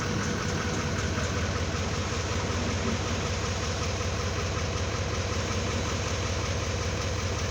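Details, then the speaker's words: 2018 GMC Sierra 3500 L5P Duramax diesel idling after fuel filter change and lift-pump priming: steady even clatter, no misses, surges or knocks, no leaks; in-tank pump running but masked by engine; normal idle. "We'll let the truck run for a few minutes. You can hear the pump running here in the tank. It's pretty loud, but you probably can't hear it over the rest of the truck."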